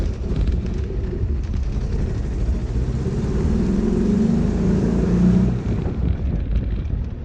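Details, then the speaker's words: Porsche 914 2.0 after new exhaust and battery only, warm after a drive: low, lumpy, wandering idle that struggles to stay running; not running right, needs a tune-up. "Needs a tune up. It's not running right."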